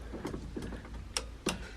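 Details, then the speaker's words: VW MK1 Golf 1.8T AWD project sitting two years, not starting: four sharp, irregular clicks in two seconds as a relay keeps popping; owner suspects a grounding problem or bad relay. "yeah I'm pretty sure that's not supposed to do that I think either I'm having a grounding problem or that relay is bad"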